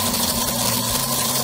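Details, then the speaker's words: Aurora slot car (Lincoln body) motor run on a transformer before restoration: fast, even buzzing whir with raspy, scratchy edge; sounds dry, needing oil. "it runs oh my God it runs not bad not bad but I tell you what let's take it to the transform it sounds a little dry"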